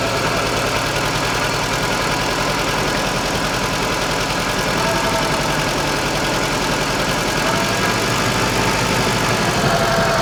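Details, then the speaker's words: Żuk van engine after machine-shop head repair of a wrecked cylinder 4 exhaust valve seat and bent pushrods, first start: loud idle with uneven stumbling beat about three pulses a second, not running on all cylinders; owner suspects ignition. "it fired up let's try again oh yeah still not running on all but I think it's ignition related"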